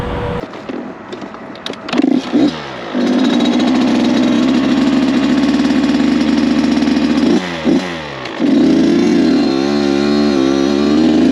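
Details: Rebuilt Kawasaki KX 85 two-stroke after first start; fires easily, holds a steady buzzing idle and revs cleanly with quick throttle blips, surprisingly quiet, no vibrations, rattles or misfires; healthy.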